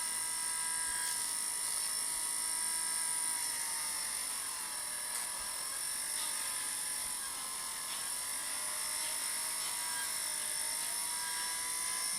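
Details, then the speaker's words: Inexpensive DC demo motor kit running at one volt: a high whine sags in pitch then climbs back with faint crackle. Its cheap copper brushes touch a copper commutator and arc, making the speed unsteady. "these are just inexpensive copper taps and they're touching a copper commutator and they're arcing"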